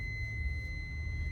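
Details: Honda Odyssey while driving at night: steady high-pitched tone around two kilohertz over road rumble, seemingly from the rear; stops when brake pressed, intermittent, cause unknown.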